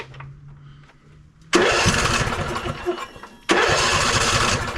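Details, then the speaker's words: Ariens 20 hp riding mower, sat unknown time: fuel pump tested with good flow, two bursts of rapid even cranking, about three turns a second, never catches; carburetor suspected gummed or not working. "definitely either not not getting fuel or the carburetor gummed up I'm not sure exactly how long it's been sitting"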